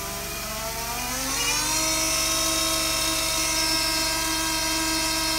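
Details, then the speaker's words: Steering pump on a dyno at high rpm with the reservoir pressurized to 10 psi: a steady high whine with no rough gargle, showing normal pump and motor noise without cavitation. "now there is going to be a irregular noise that's coming from the pump and the motor itself because all hydraulic motors do produce noise especially at high rpm"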